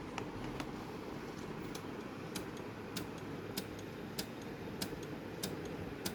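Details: Sony DVD player that will not read a CD: sharp ticks about every half second over a soft whirr as the drive keeps clicking and seeking. Mechanical ticking from the disc drive.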